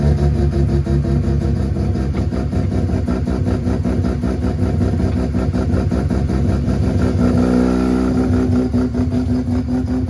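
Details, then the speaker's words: Home-built 13B rotary on its first drive after trailing timing setup: a rough, uneven note that surges and stumbles under throttle. The carburetor is starving for fuel and running lean; a near-empty tank is suspected. "first test drive didn't go very well I can just feel um instantly that the um carburetor is fully starving for fuel"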